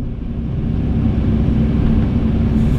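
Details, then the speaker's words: Kobelco SK140 excavator at 1,082 hours, engine at full-throttle RPM, heard from inside the cab. A steady, even low drone with a faint constant hum and no knocks or rattles. The cab is very quiet and the machine is running normally. "that's on full tilt RPM, and it's very quiet in here."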